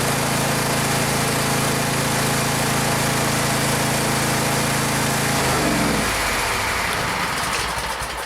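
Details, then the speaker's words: Gravely 144Z zero-turn mower with a 17 HP Kawasaki FH500V V-twin: a hard shaking rattle at about four beats a second, then shutdown. Owner heard what sounded like the plastic cooling fan; cause unconfirmed. Heavy engine vibration. "I could feel it vibrating like crazy I looked all over the place when it when it first happened"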